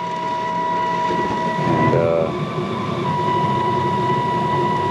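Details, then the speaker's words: Carrier furnace on a no-heat call. The inducer motor makes a loud, steady drone with a thin constant-pitch whine. The bearings are suspected, not confirmed, and no air gaps were seen; the inducer motor is to be replaced. "making that loud noise i was looking i think it may be the bearings going out without looking around i don't see any air gaps not really familiar with that noise"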